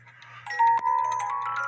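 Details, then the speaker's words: 1950s Poppo musical cuckoo clock with count wheel, music box after adjusting the U-bar that stops the governor fan: fan spins and clear bright plucked notes play over a faint hum; music box plays normally. "Now the fan is spinning. There's like a a U bar that's underneath the music assembly, and you can turn that to the left or to the right to stop the governor fan."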